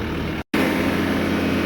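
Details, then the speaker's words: Bobcat S550 diesel that bogs and shuts off at full throttle: steady full-throttle drone cuts out briefly and recovers; dynamic leak-down shows injectors 1 and 2 leaking badly, so the rail cannot hold pressure. "So I believe that's why he's not maintaining rail pressure. So I'm pretty sure 1 and 2 are bad, but I still want to see rail pressure."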